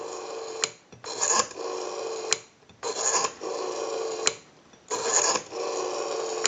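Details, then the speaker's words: Northern Electric 302 rotary desk telephone on an analyzer during checkout after a ring cycle and dial tone: three dial pulls, each whirring back evenly for about a second and ending in a crisp click; normal smooth dial return. "we have a nice smooth return on our rotary"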